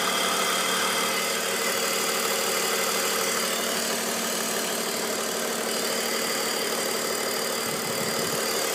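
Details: 2002 BMW 530i at idle: constant airy hiss above the engine note, unchanged; owner suspects CCV or vacuum lines, and also suspects worn VANOS seals and rattling VANOS bearings, unconfirmed.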